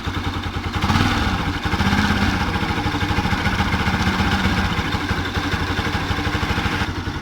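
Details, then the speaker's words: Bajaj Pulsar NS 200 motorcycle engine idling and lightly revved: rough rapid clatter that appeared suddenly, later diagnosed by mechanic as a failed stator. "es una noticia para ustedes está haciendo ruido el motor de mi ms 200"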